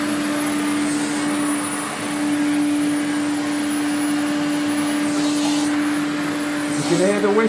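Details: Electrolux 350E vacuum, restored, motor running: a steady, unchanging whistle rides over the motor's rush throughout, pointing to an air leak around fitted parts; motor internals in poor condition.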